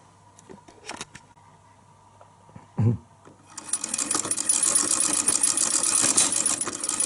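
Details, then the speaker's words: 1920s Pathescope home cine projector, hand-cranked: a few loose knocks, then busy, uneven mechanical clatter; the clunking is the normal intermittent movement mechanism, not a fault. "clunking noise that you can hear is part of the mechanism. Not an error or mistake or problem."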